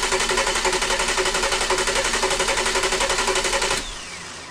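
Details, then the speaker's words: 2002 Volkswagen EuroVan VR6 24v, first crank after rebuild and reassembly, in park, with no ignition source so it only turns over. An even, steady cranking beat of about four pulses a second. Judged real good compression, no leaks. "right sounds good yeah real good compression on it"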